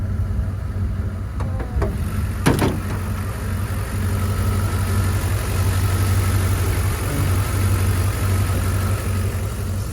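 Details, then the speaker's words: 1999 Dodge Durango, 300,000+ miles, with a freshly installed remanufactured engine and adjusted distributor timing: a few light taps, then a smooth, even V8 idle with a steady low rumble, healthy; a small exhaust leak was noticed afterward. "but here's how she sounds pretty satisfied with that sounds really good she rides good crying like a kitten"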